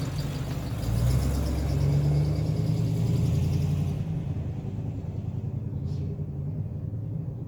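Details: 1986 Chevy K5 Blazer V8, new long block after a blown head gasket, freshly started with timing set: deep, steady rumble settling without knocks, taps or misfires; running smoothly and healthy.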